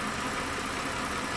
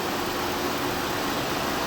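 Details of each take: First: 2012 Mazda 6 3.7-litre, cooling fan previously ran high, erratic and on after key-off; after replacing the sand-fouled fan module, engine running 4 to 5 minutes: even, moderate whoosh that never surges to high speed; normal cooling fan operation. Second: 2012 Mazda 6 3.7 L, cold engine just started: radiator cooling fan runs almost instantly at high speed, pulsating and speeding up, also staying on after key-off; temperature gauge normal; faulty fan control module, fixed by replacing module.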